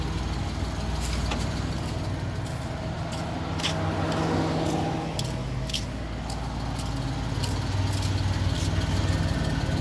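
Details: Suzuki Multicab F6A petrol engine at a steady, even low idle, no misses or knocks, with a few light clicks of handling nearby; a short at the fuel pump that blew the ignition coil fuse was fixed, engine runs normally.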